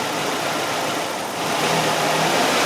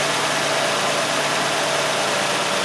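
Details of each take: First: Nissan Sentra with P0400 EGR code, EGR valve commanded open at idle while watching sensor voltage drop from about 3.1 V: uneven, lumpy idle with slow surging swells, running rough from exhaust gas let back in. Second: Nissan Sentra with P0400 EGR malfunction code, mass airflow sensor previously replaced: steady even idle hum, no stumbling or dips; normal idle.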